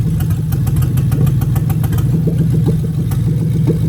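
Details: 2000-2003 Lexus LS430 3UZ-FE VVT-i V8 idling during a new engine harness injector test. With an injector unplugged, the idle turns lumpy with irregular stumbles: a cylinder misfire.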